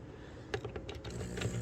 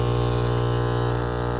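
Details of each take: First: Magnet-driven aquarium air pump after being taken apart and repaired for loud noise, lid back on, finger over the outlet to simulate tubing: light handling clicks, then a faint smooth low hum with no rattle or buzz; quiet running. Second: Aquarium air pump, loud when plugged in: a harsh, steady mains-rate buzz with a rattling edge, because worn rubber pieces let the armature hit the plastic housing.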